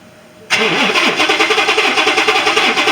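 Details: 2018 Ford F150 XLT 5.0 with a crank, no start: steady cranking at about three and a half beats a second never catches. Only about 8 V reaches the fuel pump via the control module, and the fuel pump is replaced.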